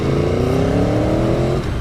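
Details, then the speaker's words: Aprilia Tuono V4 1100: crisp, even rev climbing smoothly then dropping back, no knocks or rattles; healthy V4 revving cleanly. "that sounds beautiful"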